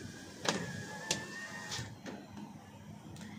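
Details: 2023 Toyota Avanza G 1.5 automatic, driver's front power window: sharp clicks about every half second over the motor hum as the glass moves up or down, while the passenger side is smooth.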